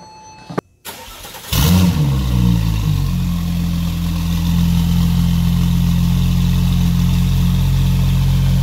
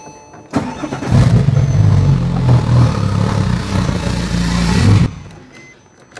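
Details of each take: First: Porsche 911 Turbo after coolant fitting replacement, with a COBB Accessport stage 3 tune for 1,300cc injectors and 93 octane: a brief crank, then a smooth, even idle with no misses and no smoke; still needs fine tuning. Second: Porsche 911 Turbo with 1300cc injectors on old stage 3 tune, before loading COBB stage 3 tune: starts into uneven lumpy idle, very rough, blue smoke as excess fuel washes cylinders; rough rich idle from mismatched injectors.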